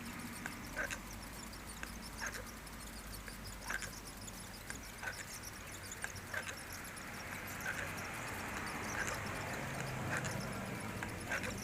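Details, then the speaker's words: Florida Fishing Products Osprey 4000SS saltwater spinning reel after about 25 hours: rough gritty churn with a sharp catch about once per handle turn, grinding as spool reaches bottom of stroke; noise stops with spool removed, source unclear. "So you got some grinding sound there. I don't know what it is, but anyway."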